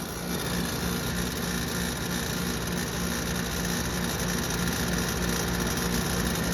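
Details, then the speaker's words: 2014 Concord HVAC outdoor unit with LG compressor: constant harsh rattling hum with gritty mechanical edge over the fan roar; compressor dying. "i know that the compressor is making that noise that compressor is for sure dying"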